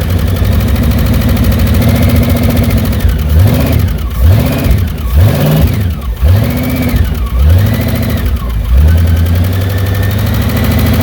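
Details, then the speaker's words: 1982 MSE (Mecham Racing Edition) Pontiac Trans Am, Pontiac V8-swapped, just out of years of storage, fired up after washing: rough V8 idle with throttle blips and a light ticking knock; owner suspects valve train knock, may pull valve covers. "Sounds like it has a valve train knock. So, I might need to pop the valve covers eventually, but I don't really care about this motor."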